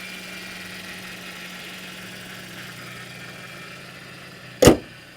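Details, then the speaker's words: Mercedes SLK 3.6 L VVT engine idling at auction, listened to under the hood; steady faint low buzz from up front that doesn't change, then a sharp bang; owner wonders if power steering pump, source unknown; traction control warning lit. "We have a weird buzzing sound from up front under the hood."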